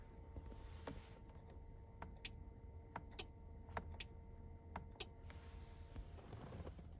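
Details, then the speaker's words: Relay on 8" LED light bar circuit fed by 20 amp fuse and steering wheel AUX switch, 2013 Ford Police Interceptor Utility: sharp isolated clicks seconds apart over quiet cabin hum as buttons pressed; normal relay switching. "Just right off the bat, we can tell we wired up the fuse right, because you can hear the, let me turn this off. You can hear the click, right?"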